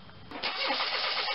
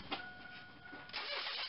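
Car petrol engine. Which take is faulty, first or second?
first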